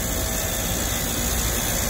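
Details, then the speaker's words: HVAC condenser compressor restarted after an overload trip, with refrigerant fully leaked out (leak suspected in the outdoor coil): steady, even hiss and low hum, no cycling or knocking; compressor running and pumping after overload reset. "let's go ahead and see if this thing will start back up just curious wow hear that compressor running wow"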